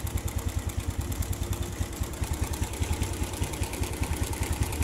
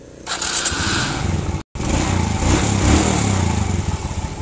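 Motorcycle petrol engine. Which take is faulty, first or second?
first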